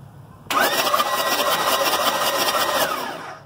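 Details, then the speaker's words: Diesel engine with glow plugs removed and injectors left in place, cranked to show the cylinders are clean. About 2.5 seconds of fast, even, free spinning with no firing, pushing clean air. This was part of diagnosing a cracked injector nozzle that causes white smoke. "pushing straight clean straight air"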